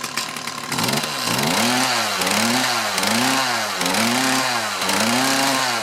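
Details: Mantis tiller with two-stroke Kioritz Echo engine, after cleaning around carburetor and fuel lines to cure bogging under load; blipped about once a second, revs climb and drop smoothly with no hesitation or bog.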